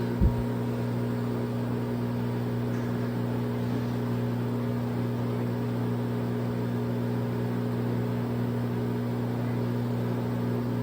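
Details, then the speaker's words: LG front-load washer in diagnostic mode after water valve replacement for IE code: apparently slow spin stage with RPM shown, steady even drum hum, no roar or rumble; spin bearings sound healthy. "I think this would be a slow spin these are the RPMs"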